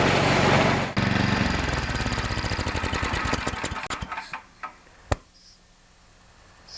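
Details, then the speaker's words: Single-cylinder engine of an MTD single-auger-belt snowblower, started after auger belt replacement with belt cover off: catches and chugs at fast even pulse, then winds down and stops; normal running. "now before I put the belt cover back on I'm going to start it up and make sure that everything's working"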